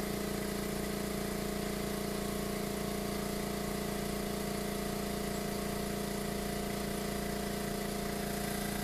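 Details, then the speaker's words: New Makita MAC700 air compressor, out of the box, running outdoors; about 90 dB at 2 ft, 82 dB at 10 ft, 77–78 dB at 20 ft. Low, steady baritone motor drone with a clean hum, no rattles or surging; normal running. "I can just tell you, I know it's hard to tell on the YouTube, but aesthetically it's really not very loud. And it's not a high trebly sound, it's more of a baritone, bassy sound."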